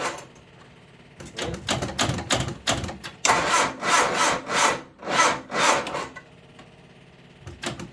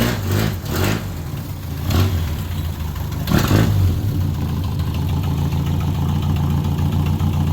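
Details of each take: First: 1978 MG Midget, 4-speed manual with side-draft carbs, neglected for years: slow, labored, uneven cranking that never catches while the fuel pump runs; owner suspects the small jump box isn't giving the starter enough power, unconfirmed. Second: 1978 MG Midget, 4-speed manual, side-draft carbs, revived after years neglected: a few throttle blips, then a deep even idle with no misses or knocks; normal idle.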